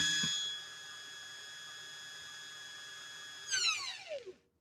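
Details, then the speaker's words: Restored 1961 Singer 401A sewing machine with clutch disengaged at full motor speed: clean steady high whine, then glides smoothly down coasting to a stop; strong power, healthy. "we literally just took off like a jet engine so sibel's machine has some crazy crazy power now"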